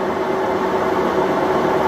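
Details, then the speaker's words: 3-year-old Maytag large-capacity washer, lid switch bypassed for demo, spin after draining: even, steady whir with faint constant hum, no squeaks, knocks or wobble, stable; normal spin cycle. "Alright, and it's coming up on the spin, finishing draining out the water. It's starting to get up to speed. This thing is a really large capacity, nice and smooth."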